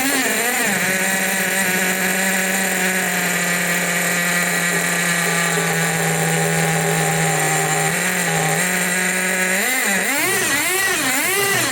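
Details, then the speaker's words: 1/8 Tamiya Nitrage 5.2 nitro RC truggy, built 2008, long in storage, carb freed up, air filter fitted, needle tweaked; high buzzy nitro scream warbling and burbling as throttle blipped, smoky; running rich but rips. "it's a ripper it's a smoky Ripper it's really nice and Rich but it's a rip this is going to rip"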